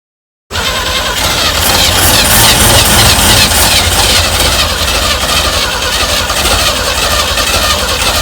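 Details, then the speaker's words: 1965 Chevy van engine that sat 50 years, with unleaded gas squirted in, catches with a loud, ragged, wavering roar. It fires but struggles to keep running. "That sounded promising there, I'll be honest with you. I think that's the best it's sounded since I started."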